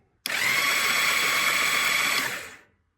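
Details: Barn-find 1997 Valkyrie motorcycle cranked with the ignition on and the spark plugs removed: about two seconds of fast, even, high-pitched whirring with no compression pulses, the starter spinning the engine freely. Normal cranking with spark plugs removed.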